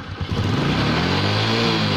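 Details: Honda Supra X 125 idling rough: uneven, snoring low beat instead of a smooth hum, caused by a cracked engine breather hose leaking air right at the clamp.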